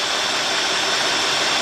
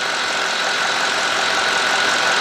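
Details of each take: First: 2003 Cadillac DeVille 4.6, rough surging idle, codes P0300, P0171, P0174, P0101, P0404: steady airy hiss over a muffled engine, worse and rougher when put in gear; intake vacuum leak, intake manifold gasket suspected. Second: 2003 Cadillac DeVille 4.6 with complaint of rough running, surging idle and codes P0300, P0171, P0174, P0101, P0404, warmed up: steady, even idle at 649–650 rpm, constant hum with no misses, stumbles or surging; fuel trims near zero, normal idle.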